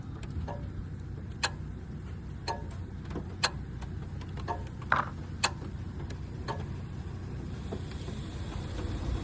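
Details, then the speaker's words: 2013 Nissan Altima during IPDM auto-test: quiet idle, then a crisp single click as the AC compressor clutch engages, showing the IPDM's AC compressor relay and wiring are good; fault suspected in the Auto AC Amplifier. "Okay, so that clicking was the AC compressor kicking on. So what that tells me is the relay for the AC compressor inside the IPDM is good."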